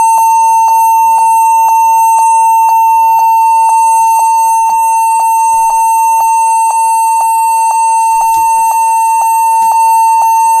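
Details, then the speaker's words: HP 14s-cf2 laptop beeps steadily at power-on, a high tone about twice a second; cleaning the RAM did not stop it. The stated fix is setting the BIOS to UEFI boot and using a GPT partition on the drive. "E nyala dan e masih bunyi didik-didik lagi atau tidak coba Bismillah oke ya ternyata e masih bunyi ya masih bunyi panjang"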